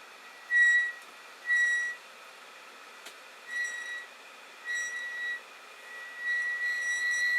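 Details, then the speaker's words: Creality Ender 5 Plus 3D printer, bed moving down along the Z axis: shrill squeaks in short bursts about once a second from the brass lead-screw nuts, despite grease, oil and new rods and nuts; fixed by fitting POM/Delrin nuts. "before it sort of starts at home it squeaks and I put grease on here put oil on these are new threaded rods new like brass nuts on"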